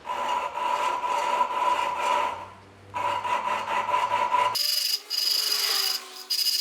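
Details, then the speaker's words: Holden 186 engine valve job, lapping a valve by hand with compound: gritty back-and-forth rasping about once a second with scratchy hiss, sound going from rough to smooth squeaking as compound gets finer. "it's almost like squeaking now it's nice and smooth so that's basically the combination of the compound getting finer the more that it's worked"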